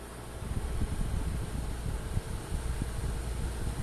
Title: ZOTAC RTX 4070 rattling noise when increasing fan speed! Please Help!